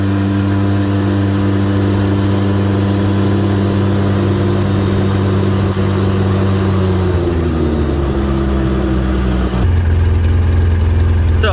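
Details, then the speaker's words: 2008 Polaris RZR 800 after fuel pump assembly replacement: steady even idle climbing smoothly when revved and dropping back cleanly without stumbling; bogging fixed, idle better, fuel gauge accurate; normal idle and revving. "fixed idle seems better fuel gauge is no longer blinking it is accurate"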